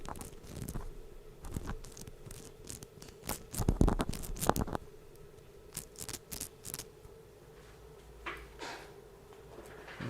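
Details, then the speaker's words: WLToys 144001 RC car differential turned by hand at the microphone: irregular scratchy crackling, rough not smooth, from lack of grease; identified as cause of its grinding. "Not a lot of grease there, is there? That does not sound too healthy if you ask me."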